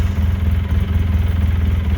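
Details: 2013 Polaris RZR 800S 2.0 just after an engine rebuild, warmed up, new oil pressure gauge reading a bit under 10 psi hot: steady, even low thump at a settled idle, no knocks or ticks; smooth, healthy engine.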